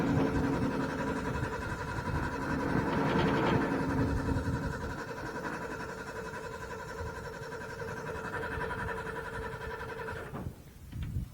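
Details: Owatonna 260 at its first start of the year, with choke, some throttle and starting fluid: a steady starter whir with an even cranking beat of about 220 a minute for ten seconds, and it never catches. Cause suspected, not confirmed.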